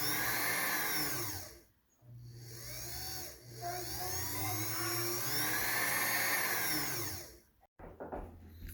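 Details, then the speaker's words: 1977 Kenmore 158.19412 sewing machine after oiling: steady motor whir with a hissy scraping rub rising and falling with speed; drive belt set too far right rubbing the plastic side cover; the fix is to loosen the set screw. "It's really hard to see it, but that noise is this belt rubbing on the plastic side cover. So this cover right here, it's rubbing."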